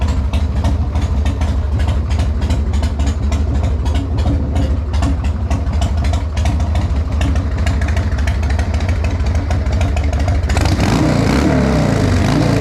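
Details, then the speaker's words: Harley-Davidson Sportster XLH built 15 years ago, back after years off the road, started after replacing the rear brake switch and fuel line and fixing the pushrod tube gaskets: loping, clean V-twin idle with a brief throttle blip, sounding healthy. "okay so even after a build of 15 years ago this thing still sounds awesome"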